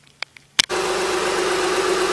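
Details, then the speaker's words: 2007 Honda Odyssey EX-L after a new serpentine belt and tensioner, started before full reassembly: a few clicks, then a smooth, even idle with no squeal or chirp and the belt tracking evenly. "as you can see guys it's smooth and butter see there is no noise whatsoever"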